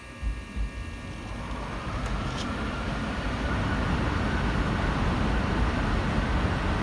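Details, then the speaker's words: Payne air conditioner indoor air handler in closet, started by setting thermostat to 75 for cooling: soft clicks, then airy rush swelling and settling steady; blower starts cleanly, normal startup. "whoa so this is what it sounds like when it turns on"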